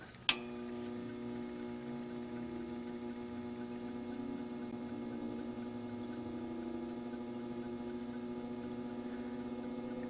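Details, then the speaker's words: NOEVSBIG solder fume extractor, a 120 V, 150 mm fan with a copper motor rated up to 3300 RPM, at its lowest speed: a click at switch-on, then a steady, smooth low hum with even tones and no ticking or rubbing. It runs healthy. "At the lowest speed, it sounds just kind of like a hum, but indeed, it is certainly going."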